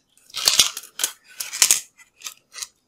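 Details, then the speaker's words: Nintendo Wii with disc read error, disc drive removed and shaken: light, irregular clicking rattle in short bursts from something loose wedged inside the disc drive. "whatever's loose is definitely in this cd drive"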